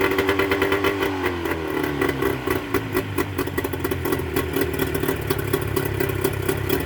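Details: Mercury 25HP two-stroke outboard in neutral after the Boyesen power reeds are fitted, with the idle being set: crisp, quick burble idling steadily with a few light blips, no stumbling or hunting. Normal idle.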